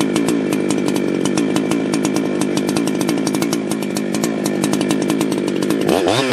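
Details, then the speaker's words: Ported chainsaw, freshly tuned, measured with a wireless tach. A steady, even two-stroke idle of about 3,000 rpm with a clean rhythm, then a sharp rise toward full throttle reading 14,140 rpm. It sounds properly tuned. "Alright man, that's taking a look at our Tach here. We had about 3,000 RPM on the idle for that one."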